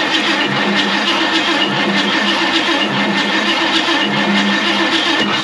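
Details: 1969 Ford Mustang Fastback on its first start attempt after 30 years, cranking with the distributor disconnected while checking oil flow to the rockers: steady starter drone with even compression pulses, no firing, though sparking is heard.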